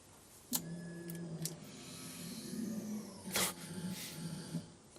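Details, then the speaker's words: Holden Gemini build with a new custom fuel tank, key-on: two short, even low hums of the fuel pump priming, with no rattle, strain, tinkle or leaks. "Well, I think that's a good sound. it was a good sound."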